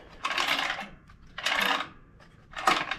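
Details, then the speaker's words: 2014 Ariens 42-inch riding mower, ignition coil was contacting the flywheel and was backed off; turning by hand now spins almost free but gives rough metal scraping clicks about once a second, as if something under the flywheel is loose; flywheel magnets rubbing stator. "I can't figure out what that sound is it almost sounds like something underneath of the uh the fly wheel is loose"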